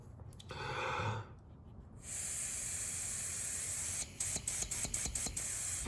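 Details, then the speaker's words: 1968-72 Corvette C3 headlight/wiper door vacuum system, air blown through an unpressed vacuum valve: silence then steady even rush of air through the vent for about four seconds; valve vents normally. "so without being pressed, the air is allowed to go through this vent. This is a vent line. This is actually it right here. So that's fine."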